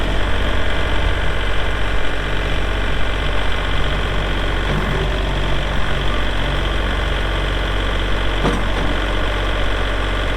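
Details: 2022 Kubota L3901 4WD hydro compact tractor diesel, 219 hours; steady low diesel clatter at an even idle with no misses or surging: normal, healthy running.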